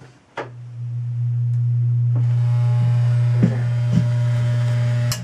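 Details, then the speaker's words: Newly installed bathroom vent fan/light fixture with soft-start, switched on with flange and light installed: steady low hum with faint ticking rattle; something loose in the fixture, cause unknown. "It's kind of rattling a little bit. I don't know what that's about. Oh well, I have to work on that rattling"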